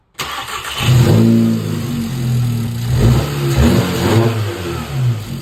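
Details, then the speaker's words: Volkswagen Jetta GLI after repairing an exhaust leak near the turbo: engine starts at once and revs cleanly up and down with no ticking or puffing from the exhaust; running normally, leak fixed. "All right, looks like it fixed it, which is great."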